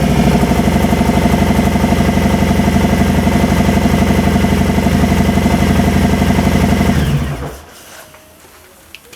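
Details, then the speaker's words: 2018 Harley Softail Fat Bob, Milwaukee 8 V-twin, just fitted Two Brothers exhaust, Stage 1 tune not yet loaded, in garage: deep steady loping idle pulsing about four times a second, then shut off; healthy, loud pipes. "pretty mean to me. We'll work on it tomorrow. We'll get the tune in it."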